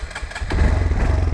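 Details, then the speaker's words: Bike with Dynojet tuner and wideband, cold, throttle blips from lumpy idle rising crisply and settling with no popping or backfiring; clean throttle response. "whoops see when I give it gas there's no popping"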